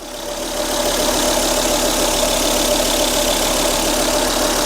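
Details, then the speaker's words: 2004 Volvo S80 after radiator replacement following severe overheating, thermostat not replaced, cold idle in heavy rain: smooth, even idle with faint steady hum, no misses or knocks; not yet at temperature. "Sounds smooth. But we'll see what happens once we get it up to temperature."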